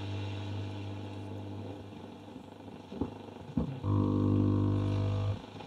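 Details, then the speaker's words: Philips Reverbeo B7X14A stereo radio, first power-up during restoration: loud, buzzy, blaring output over heavy low hum, coarse and smeared; distorted audio, cause not yet traced. "speech that sounds terrible okay when these two are out this is hi-fi"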